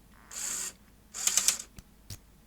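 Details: Sony SL-HF600 NTSC SuperBeta VCR, powered up with the mechanism slightly laced, should drive to unlace and stop: two short whirring motor bursts and stray clicks, and the deck never settles; owner suspects the unlace sensor.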